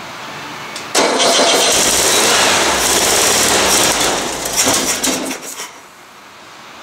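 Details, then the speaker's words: Used VW engine on the floor after 8 years of storage, very cold start, throttle held open with a shot of ether: cranks briefly, catches and roars a few seconds then fades; cold start on starting fluid. "going to give a little shot of ether here and hold the throttle open see if i can get it to run"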